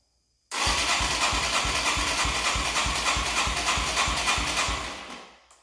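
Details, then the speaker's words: 1989 Yamaha Moto4 200cc quad after timing chain replacement, with new throttle cable: catches at once and races at high, fast-pulsing idle; throttle held open, cable and slide adjustment didn't help. "Well, it runs. Idle's a little hot. Okay, so after I started it, it went like full throttle."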